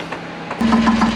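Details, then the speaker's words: Boat diesel idling after fuel problem fixed at sea: all filters cleaned and changed, contaminated fuel pumped out, last 5 gallons of clean diesel added; steady idle with even knocking beat about six per second and smooth hum; normal idle. "Well, as you can hear, got all the filters cleaned up and changed out."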